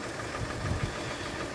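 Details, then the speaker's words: 2008 Mercedes ML350 at auction, previous damage: lumpy idle with irregular low thumps; seems not running on all cylinders, misfire with knocking suspected, balance shaft problem feared (fix needs engine out), not confirmed. "I just don't think she's running on all over the sil ERS I think we have an issue here does this scare me a little bit because to fix the balance shaft the engine has to come out"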